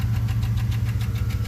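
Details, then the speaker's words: 2013 Chevy Suburban at idle, also with a cylinder misfire despite new plug, coil and injector: sharp even ticking several times a second; suspected broken lifter or camshaft, described as lifter noise from low oil pressure; compression check planned. "porque al parecer parece que es un ruido del lifter. Es posible que el lifter esté quebrado o el árbol de levas."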